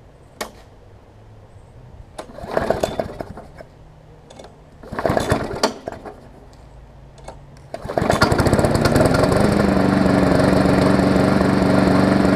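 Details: Briggs & Stratton Classic engine swapped onto a Hyper Tough mower deck from a Weed Eater 22" mower: a few rope pulls, then it catches and settles into a steady, even run with no knocks; runs better and smoother than the old one.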